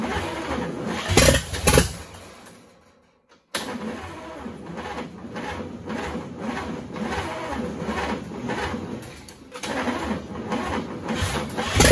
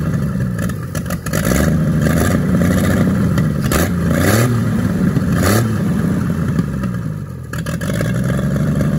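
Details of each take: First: 1942 Chevrolet G506 truck on its first start after revival, fed from a fuel squirt bottle on a 6-volt system: it cranks, catches, dies, then fires again and stumbles along roughly; cause unconfirmed. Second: 1942 Chevrolet G506 six-cylinder truck, started on 12 V after revival: revs up and back down cleanly, then holds a fast idle on choke that won't come down; mixture screw no effect, no knocking, healthy running.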